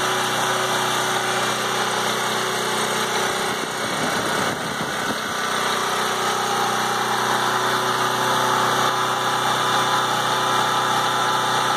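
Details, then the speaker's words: PowerIt 3800 W 4-cycle generator with 7 hp gasoline engine, started after sitting over half a year stored without full fuel (oil changed before storage): steady, even drone with no misses or knocks; running smoothly. "all right so turn the switch on and we'll see if this thing wants to start and it's a seven horsepower gasoline engine"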